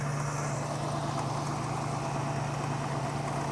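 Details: Classic carbureted V8, hot, after vacuum-gauge idle mixture screw tuning, now about 22.5 inches of steady vacuum: smooth, even low-rumble idle with no misses or stumbles.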